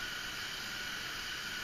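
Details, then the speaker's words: Used Mr. Heater portable propane heater after repair, turned up to high: steady, even rushing roar with no sputter or flutter; burner running cleanly. "So all right, there's it on low. It's running pretty good. Crank it up to high,"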